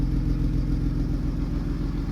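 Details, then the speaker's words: Car with newly fitted welded exhaust line held at 4000 rpm in an enclosed, resonant room, measuring 86.3 dB: deep steady drone echoing off walls, even, no rattles; exhaust fine. "À 4000 tours, dans une zone fermée, t'es à 86,3. Dans une zone fermée. Fermé. Donc là où ça résonne."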